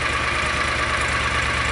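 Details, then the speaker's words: John Deere Gator 625i UTV after the DIY auxiliary muffler install; even, steady idle with softened exhaust note and no rasp or popping, reading 82–90 dB and stabilizing around 82 dB. "It is definitely quieter. We'll go ahead and hold this down away, but as it stands right now, we're fluctuating between 82 and 90."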